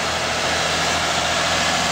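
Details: 2005 Lexus ES330 3.3 V6 idling after alternator replacement for failing bearings: even, steady idle with smooth hiss, no bearing whine or growl; normal idle.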